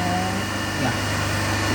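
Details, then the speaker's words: 3-phase induction motor coupled to a DC compound machine on a lab bench, third phase cut by a switch: phases one and two draw about 4.5–5 A, phase three draws zero and its wattmeter reads 0 W. Steady low fixed hum; single phasing. "So if you can see, in first and second we are getting some current, but in third phase we are getting zero current."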